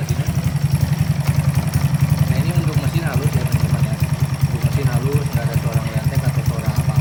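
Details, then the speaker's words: Honda Karisma-based motorcycle (C800 body), bored up to 148 cc with 56 mm piston and custom cam: single steadily thumping at idle, even beats, no ticking or tapping; smooth, healthy engine. "Enggak ngeletek ya teman-teman soalnya kan banyak juga yang ngeletek atau ada suara beletak-betak atau gimana nah ini halus enak dipakai juga"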